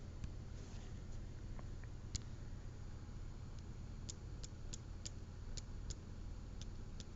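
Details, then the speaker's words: Xiaomi Redmi Note 3 Pro phone: light taps bring a faint sharp click from inside the handset, something loose rattling internally, cause not yet known. "столкнулся с проблемой что в телефоне есть вот такой Косячок То есть он брякает вот здесь вот в этом месте"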